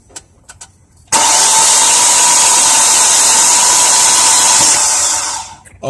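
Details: 2003 Volkswagen Passat 1.8T cranks but won't start: about four seconds of steady whirring cranking that never catches; fuel pump heard running, compression test showed no compression, spark weak, one plug tip smashed.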